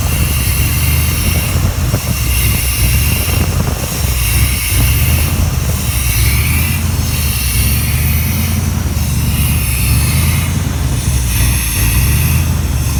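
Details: 1987 Chevy Silverado K10 350 V8 at idle, deep rumble rising and sagging every couple of seconds, surging idle with power gained and lost; cause not confirmed.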